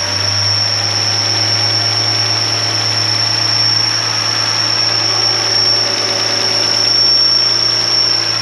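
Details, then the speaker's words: Mercedes W124 (MaxxEcu) with an unstable idle that won't run properly: a steady high-pitched whistle over a low idle hum, heard with a hose currently disconnected. The whistle is quieter than before, and a vacuum leak is being hunted. "viliseb vähem minu kõrva jaoks, viliseb, ma ei tea, ma loodan, et teie ka kuulete, aga..."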